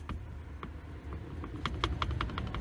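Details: Old Jeep drive shaft rocked by hand, on ramps: sharp metallic clicks at each reversal, free play in a worn U-joint needing replacement.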